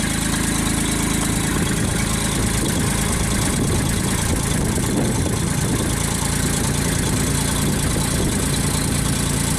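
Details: JLG baby scissor lift small petrol engine after new starter and battery, crank sensor under test: constant, even low idle rumble with no misses, knocks or surging; runs healthily.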